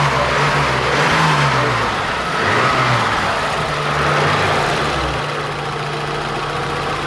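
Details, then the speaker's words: 1987 BMW 325i E30 after a crank-no-start repair, fuel pressure almost 40 psi: a couple of gentle revs settle into a smooth, even idle with no knocks or stumbles; normal idle. "Yeah, dude. It's running good. Dude, it's running good now."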